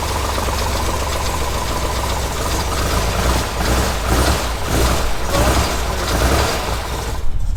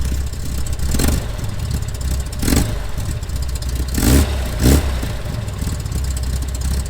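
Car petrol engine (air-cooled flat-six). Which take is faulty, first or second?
second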